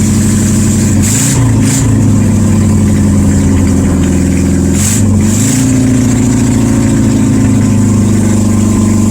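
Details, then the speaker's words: 1972 VW Super Beetle air-cooled flat-four, no exhaust fitted, 51°F, after starter and ignition work: loud unmuffled surging with throttle blips, sagging between, never settles to idle. "So it's still not running at idle, and it's really loud. You can tell because I have no exhaust on it, so that's why it is loud."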